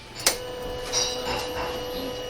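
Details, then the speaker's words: 2015 Suzuki Address 110 scooter with a newly installed fuel pump and the air bled from the fuel line. At key on, a brief click is followed by a steady high hum for a couple of seconds: the new fuel pump priming normally. "when I turn on the key you're going to hear the fuel pump fire up here it goes listen"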